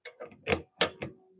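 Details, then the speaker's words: Lathe turning a cracked cork oak bowl where hardwood makes the cut catchy. Sharp wooden clacks repeat each time the tool passes the same spot as it catches. "I can hear it clacking every time it hits this. Hear that? Yeah."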